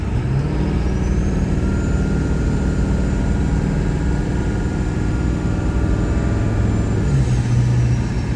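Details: 1999 Ford F-350 Super Duty 4x4 with the 7.3 L Power Stroke diesel, 46,000 miles and an automatic, pulling steadily uphill: a deep drone with a smooth drop in revs at each shift. Normal acceleration and shifting.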